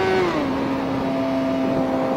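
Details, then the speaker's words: Motorcycle at about 60 mph, right after upshifting from first gear, which it had been held in at about 10,000 RPM: the engine note drops in pitch and smooths into a steady, even hum. Running normally. "And you hear how it's smoothed out."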